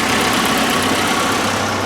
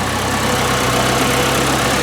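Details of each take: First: 1981 Alfa Romeo Spider Veloce, just started after years in storage and fuel and ignition work. It idles smoothly but a touch fast with a bright exhaust note. Ignition timing is slightly advanced and is to be retarded with a timing light. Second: 1981 Alfa Romeo Spider Veloce, just started after years in storage and fuel and ignition work, timing slightly advanced: steady even idle with a constant low hum, no knocks or misses over about ten seconds; normal idle.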